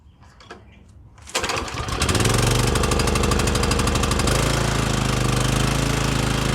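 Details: Exmark commercial mower that had been surging and running lean, after a carb cleaner service, on fresh fuel and run on choke to warm the oil. It catches after a pull and settles into a firm, steady putter with one brief change in pace: normal running.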